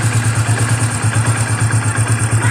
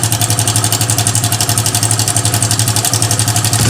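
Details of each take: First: Hero Passion Xpro i3s motorcycle at idle after fixing the timing chain tensioner: steady even idle thump, no ticking or top-end rattle; engine now silent, normal idle. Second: Hero Passion Xpro i3s motorcycle: fast metallic chatter at idle, about four per second, growing with a throttle blip; timing chain rattle.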